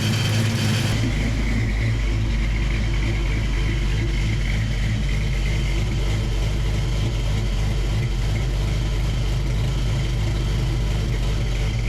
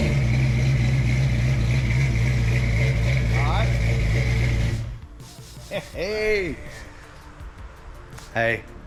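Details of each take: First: Foxbody Mustang with freshly built 306 HCI engine, first start-up after fixing a water leak: steady, even idle with smooth low rumble and no knocks or misses; running cleanly. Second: Fresh 306 HCI V8 Fox Body first start-up at idle: steady rumble with a light regular puffing tick, then shut off; exhaust leak suspected at the header collector, probably not a header tube. Exhaust ticking.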